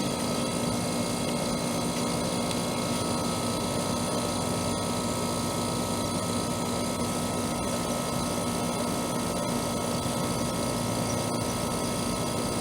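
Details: Trane AC condenser installed the previous June, warranty call for fan-only running; after fitting a hard-start capacitor/start relay the compressor runs, even fan whir over steady compressor hum, no rattles or clicks; running normally.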